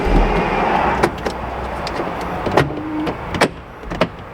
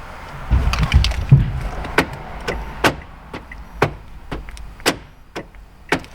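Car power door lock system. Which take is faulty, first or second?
first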